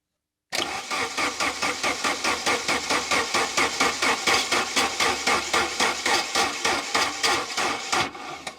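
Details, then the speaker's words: Saab 900 Turbo Commander, Bosch K-Jetronic injection, sat 10+ years under a tarp, ignition module just reconnected; starter churns sluggishly at about three compressions a second, never catching despite a charged battery; owner suspects weak battery. Cause not confirmed. "really need a new battery it's completely charged but still there's not a lot of power"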